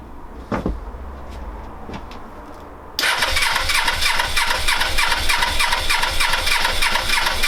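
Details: Suzuki GS500 on a borrowed battery, carbs just refitted with new inlet rubbers, cold weather, choke on: steady rhythmic cranking about three beats a second never catches into a run; cause suspected, not confirmed.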